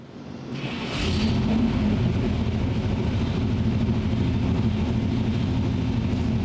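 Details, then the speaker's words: Old-school small-block V8 on the dyno under load: quick, uneven ticking valvetrain clatter over the deep roar, traced to a loose rocker stand. "engine now can you hear this clatter just clattering you could also hear it stop at the and I shake my head cuz I heard it and and felt it"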